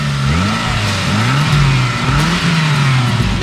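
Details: Saab 9-3 after fuel pressure regulator replacement: engine revs up and down cleanly, pitch rising and falling smoothly with the throttle, no stumble or miss; running properly after the repair.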